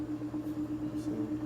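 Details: Top-load washer, empty drum, spinning up fast after off-balance repair: steady motor hum at one pitch with gentle even pulse, no knocking or banging; spin sounds smooth and balanced.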